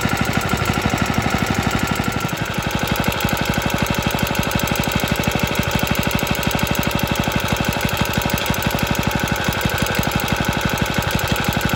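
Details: Rattly running from an extremely early 1954-55 Suffolk Iron Foundry Model 1A single-cylinder engine, started still cold on a substitute carburettor: a fast steady clatter of about three beats a second over the chug; owner says it sounds less bad in person.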